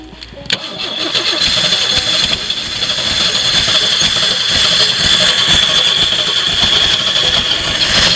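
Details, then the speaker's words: Jeep on a snowy day, weak battery, cranked off a charger: catches and revs roughly with uneven sputter, dying whenever throttle is given or choke opened; owner suspects the carburetor, wonders about bad gas. "work so close so close but no no prize so far every time I either give it gas or uh you know open that choke up either one it does that"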